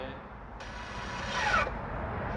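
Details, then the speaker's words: Car (60,000+ km) electronic parking brake (EPB) motor engaging during a parking brake check: a short, even motor whir of about a second that stops cleanly, with no clicking or loud whine, so the EPB motor applies normally. "EPB 파킹 브레이크가 작동하나 안 되나, 여러분들이 소리를 들어보면 이상한 소리가 나면 망가진 거라고 그랬죠."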